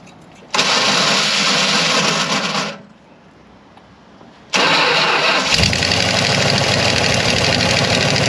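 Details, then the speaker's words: 1975 Dodge motorhome 360 LA Mopar engine, previously locked up, abandoned about 25 years, fed fuel from a bottle; cranks, catches, dies, then restarts into a loud uneven idle near stalling, won't stay running alone; stuck throttle butterfly suspected. "now it does not want to stay running it's own wish I could get that butterf loose up oh there it goes a little bit"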